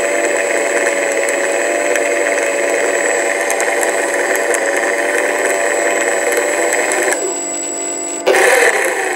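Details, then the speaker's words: Sky Mule RC plane stock brushless motor, left wing, never flown, mounting nuts removed to rule them out: high whine runs steady then cuts out with rough bursts; confirmed shot motor bearing, motor to be replaced. "no noise spinning fine motion as you can hear cutting out and making horrible noise"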